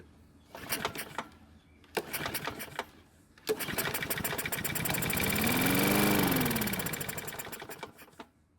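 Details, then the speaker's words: Toro walk-behind mower, a couple years old, non-running, after an adjustment and with sharpened blade fitted, on the table with debris-filled tank: two recoil pulls, engine catches, revs up and dies within about five seconds; cause undetermined. "fortunately for us the engine started and ran for a brief moment which is great news because it's more than what we got before"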